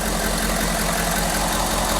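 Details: 6.7L diesel pickup, idling during blow-by check with oil cap resting on top: steady even diesel clatter, constant low drone, no stumbles or extra knocks; healthy idle.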